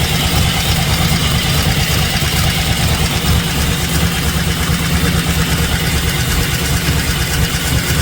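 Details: LS-swapped 1970 Plymouth Satellite after rewiring: deep loud rumbling V8 idle, slightly lumpy but sustained beat, no misses or knocks; engine runs and holds idle normally.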